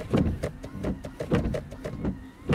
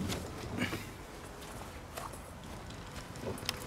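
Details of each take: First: 2013 Scion FR-S with 191,113 km: the wiper motor on high sweeps quickly and regularly, about twice a second, with a light thump at each reversal and no groan. This is normal; at normal speed it runs too slowly, laboring and groaning. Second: 2013 Scion FR-S at almost 200k, wipers on the normal (low) speed: a slow, laboring groan that goes away on high. The wipers are lubricated but still slow; this started the night before. The wiper motor is being replaced.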